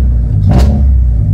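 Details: 1995 Honda del Sol with a 1.6L Civic engine idles rough, and when revved gives a rough, uneven rumble from a misfire.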